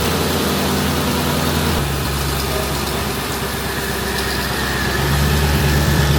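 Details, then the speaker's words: Mercedes-Benz at idle, checked underneath: steady idle with a faint, quick puffing tick about three a second over the engine rumble; small exhaust leak. "tle exhaust leak so we're going to try to figure it out"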